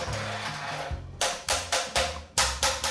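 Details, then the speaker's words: Pre-move-in defect inspection of a new apartment, laundry room floor tapped: normal boards sound solid, while loose boards ring hollow and dull, pointing to boards lifted off the slab. "[Kiểm tra sàn trong phòng giặt theo cách tương tự] [Âm thanh của sàn bình thường] [Âm thanh khi ván sàn bị lỏng]"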